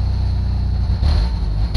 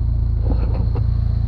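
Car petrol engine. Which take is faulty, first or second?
first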